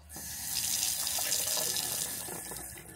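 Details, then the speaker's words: RV truck-camper Shurflo water pump with an IRVWPC2 intelligent pump controller installed: steady, smooth tap flow with no pulsing, banging or pump hum; noise cut from about 77 dB to 54 dB after the fix. "You can see how smooth it is. You can't even hear the pump running. It's unbelievable how quiet it is."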